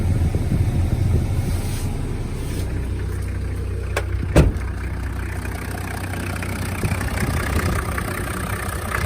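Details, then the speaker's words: Toyota Land Cruiser HZJ75 1HZ diesel with newly installed A/C: steady low idle, brief clunk as the compressor clutch engages when A/C is switched on, then idle settles smoothly; A/C engaging normally. "So first I'll fire it up without the AC on, so you'll see that the clutch is not working. Okay, so the pulley's spinning, but the clutch is not. And then we turn our AC on."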